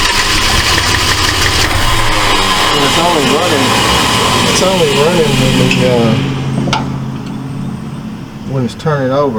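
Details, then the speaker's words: 1968 Ford LTD abandoned car, first start with Motorcraft carburetor: engine fires and runs rough only while the starter grinds, dies when key released; owner suspects miswired coil feed, plans straight 12 V to coil. "okay seems like it's only firing when it's turning over it's not uh like it's stop firing when it's not turning what it seems like cuz more I hold the starter uh the cylinder it's firing and when I let off of it it stopped firing"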